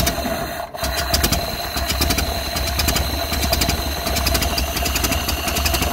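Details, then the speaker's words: 1931 Ford Model A flathead four, 200.5 cu in, after sitting 67 years. Carburetor and internal filter cleaned after flooding; slightly choked. Catches after a brief stumble, then a slow, even idle with steady light ticking and no misses. Normal. "I don't know, it's idling really nice. I don't know, these things idle pretty low like that. Yeah, it sounds good."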